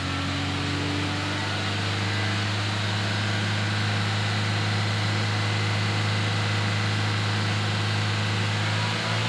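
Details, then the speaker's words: 2016 Toyota Innova Reborn revved to about 3000 rpm after Blackcore tuning. Before tuning it had heavy pull, delay, droning, vibration and high fuel use. Now a steady, even hum with no knocks or rattles; throttle response and sound are smoother. "gasnya udah beda, responnya udah beda, suaranya pun beda, udah lebih halus."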